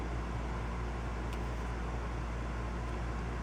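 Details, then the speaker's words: 2004 Honda Pilot heater valve actuator motor bench-tested on 12 volts: small motor whirs steadily with no load, but its output gear does not turn; actuator not driving output gear, leaving heat stuck on. "really the motor's turning but the gear is not we might have found our problem already huh"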